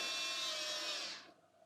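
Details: 1987 Mercedes 560SL (R107) fuel pump, hotwired to a power supply after rebuilding the assembly, fuel back in tank: steady high-pitched hum about a second, shuts off cleanly; fuel now reaches the distributor, pump healthy.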